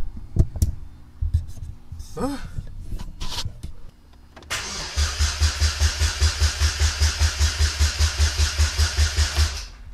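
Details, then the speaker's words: Supercharged Saturn Ion sedan with a rebuilt forged bottom end and new clutch, first start attempt in five years on a new battery: the starter cranks steadily at about five beats a second for five seconds but the engine never fires, a crank, no-start. "okay that's close try again alright now we got to figure out why it's not cranking all right it sounds good so far though"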